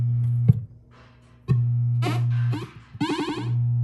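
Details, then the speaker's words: 1978 Williams Phoenix pinball, recapped sound board, solenoid-test sound: effects cut out and return in bursts as the volume pot is turned; bad connection in the dirty volume pot, board itself fine. "you hear that that's the correct sound so I think we have a bad connection in the pot here so I don't think there's anything wrong with this board at all"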